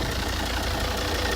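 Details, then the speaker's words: Volvo S80 D5 diesel, automatic, heard with the bonnet open on a freezing day; short even diesel clatter at steady idle, no knocks or surging; all new belts, no leaks, "sweet as you like." "Sweet as you like. Absolutely sweet as you like."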